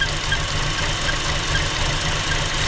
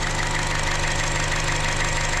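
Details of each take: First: 2015 Chevy Cruze 1.4L with lean code, engine cover off at idle: constant airy hiss over a slightly uneven idle, audible plainly; vacuum leak from the ruptured PCV diaphragm in the valve cover. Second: 2015 Chevy Cruze 1.4L after replacing the valve cover and intake manifold for a lean code: smooth, steady constant-pitch idle, no stumble or misses; long-term fuel trim zero, O2 sensor good.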